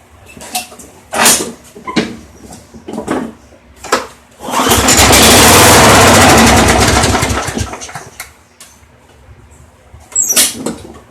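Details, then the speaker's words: Craftsman mower model 917.388113: a few pulls, then it catches and runs about four seconds before dying. The carburetor is not drawing fuel, though the primer bulb seems to work: starts then stalls from fuel starvation. "I'll start it and show you that the carburetor is not drawing any fuel"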